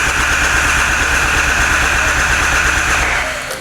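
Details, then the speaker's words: Rocket 3 motorcycle with 29 miles, cranked indoors, with a short in the fuel pump. The starter spins the engine at a steady rhythm for several seconds but it never fires: crank, no start, because the pump isn't supplying fuel. "a lot of starter motor action, not a lot of fuel to start that whole process of the engine actually turning over. Very common problem."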